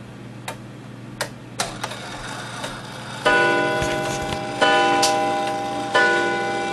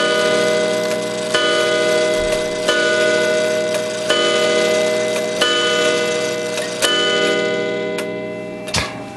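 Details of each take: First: Gilbert 1913 count-wheel clock: irregular ticking and whirring, then three ringing gong strikes a second or so apart. The count wheel lever was flipped and the count wheel is not self-adjusting, so the strike is out of step with the hands. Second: Spring-wound Gilbert 1913 count-wheel clock after lifting the count wheel lever once to advance it one hour: a clear, evenly spaced bell strike about every 1.4 seconds, each ringing cleanly; the hour strike is normal.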